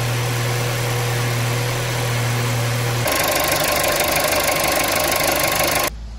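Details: 2019 VW Jetta 1.4L at 70k miles, started after serpentine accessory belt replacement: steady, even idle with no knocks, chirps or squeal from the front; the engine and accessory drive are running clean.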